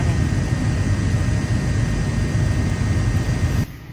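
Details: 2007 Honda Pilot heater blower, replacement blower motor and resistor fitted after original was noisy and intermittent: smooth, constant whoosh of air with a faint steady hum until it cuts off; new blower motor runs quietly and evenly.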